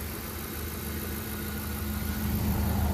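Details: 2010 Ford F-150 5.4L with random no-crank/no-start, PCM suspected bad, started by bypassing starter relay terminal 87: quiet, steady low idle, about four pulses a second, even with no knocks or misses; normal idle.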